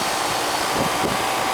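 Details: Old ground-level commercial AC condensing unit after fitting separate 80 and 10 capacitors: steady fan rush over low compressor drone, no rattles or squeals, warm air out the top and cold supply; running normally.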